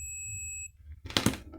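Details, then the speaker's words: Steady multimeter continuity beep testing the fuse of a Whirlpool microwave that makes noise and doesn't heat; beep means the fuse is good, silence would mean it's blown. High-voltage diode tested next. "si el fusible está dañado al o está fundido o quemado al poner las puntas del multímetro en los extremos no se va a escuchar nada en el multímetro si está en buen estado se va a escuchar este"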